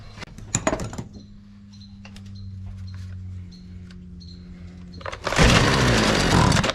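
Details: Husqvarna 128DJX two-stroke string trimmer that bogged and wouldn't start, after carburetor replacement and new spark plug gapped correctly; after a few pulls it catches and holds a strong, even buzz, running normally.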